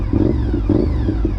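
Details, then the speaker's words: Honda RC51 V-twin motorcycle with 9,800 miles: a short throttle blip where the deep, lumpy rumble rises and settles cleanly without stumbling or clatter. Normal throttle blip. "Woo! She got that torque. Woo! Sounds so good too. Love the way this bike sounds"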